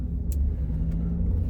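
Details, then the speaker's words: Chevy/GM truck or SUV driving with only low, even road rumble and no clanging from the front end after fixing loose bolts between the control arm and sway bar; suspension quiet. "the sway bar. And so now it's not doing that."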